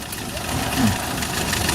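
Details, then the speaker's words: Suzuki Carry 1.0 petrol engine at idle with a rough, diesel-like clattering; rubber wedged between timing cover and cylinder head, and pressing the timing cover slightly reduces the noise, so the rattle comes from the loose timing cover. "Ini kalau ditekan suaranya sedikit berkurang, Lur. Sedikit berkurang, suaranya berkurang, Lur."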